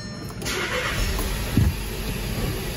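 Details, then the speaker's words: 2014 VW Jetta 1.8L, oil overfilled, running rough and stalling, with oil found in a plug well. After swapping coils it still misfires on cylinder 2 with a lumpy idle; the plugs look bad and are to be swapped next. "Yeah, it feels like it's still missing. Okay, it still looks like it's misfiring on two."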